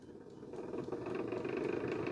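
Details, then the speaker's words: Used heater appliance with a mechanical timer, powered on: the fan motor spins up with a lumpy, uneven whirr, takes about 5 seconds to wind up and rattles when winding down. A worn bearing is suspected. "Fan's working, but it sounds like it's a bit lumpy. It's okay now. That's wound up. Oh, no. That sounds like a bearing's gone."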